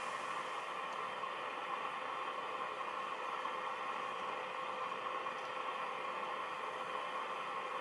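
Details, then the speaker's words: National Panasonic RQ-434DS 1970s boombox radio after changing some components, aerial wires loose: steady static hiss, station only vaguely heard; owner suspects a faulty mixer transistor, unconfirmed, repair postponed. "i can vaguely hear the station but they'll be getting very nothing out of it so it would have to be one of the mixer transistor which means this will go to bed for another time"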